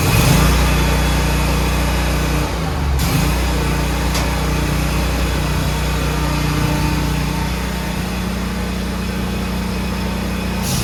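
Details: Toro Z Master zero-turn mower after ignition switch replacement: small engine settles into a steady, even drone at fast idle, no misses, surges or knocks; running healthy.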